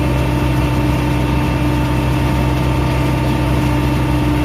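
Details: Bobcat 773 skid steer diesel after a park brake/traction lock solenoid replacement, traction lock being engaged and released: steady low idle with a constant hum and even firing, no knocks or load changes; engine healthy.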